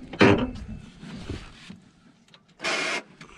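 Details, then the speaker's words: 4th-gen project car, hatch operated with a battery connected: short harsh grinding buzz as the actuator motor runs, then stops; the hatch doesn't move and the actuator appears not to work. "that sounds terrible that sounds hideous oh yeah i don't guess it works dang it sounded bad"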